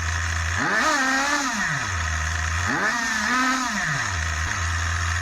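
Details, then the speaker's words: Schumacher XTR21 RC nitro car, Pro21R engine after over 3 hours of tuning, probably still slightly rich: the tiny engine snaps from a buzzy idle up to a high scream and back twice, revving crisply with no bogging. Clean revving. "yeah I like that that's usable now as it is yeah I'm happy with that still work to [Applause] do breakes work it ticks over it's probably still running too rich"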